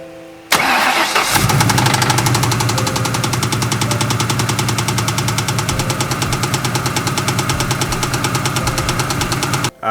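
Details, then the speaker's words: Ford two-valve 4.6 V8 starting and settling into a loud, rapid metallic knock from a spun crankshaft bearing, before repair using crank and bearings from a junkyard engine. "how cheaply can you really fix one of these two valve 4.6 liter Motors that's been knocking if you guys are not familiar with the Channel all familiar with the build I'm gonna let you hear a video of it Knocking right now"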